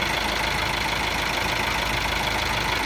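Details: Car jump-started from a motorcycle battery with 2.5 mm cable on a 70 Ah battery; steady, even diesel clatter at idle with no misses or stumbles, engine caught and idling normally.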